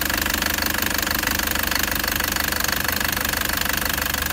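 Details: Toyota Prado 2013 (MY14), Denso 1KD-FTV diesel, 130,000 km, about seven years old, at idle: sharp regular metallic knock about 3.5 per second over the idle; failing injectors suspected, possibly bent pipes or contamination, not confirmed without teardown.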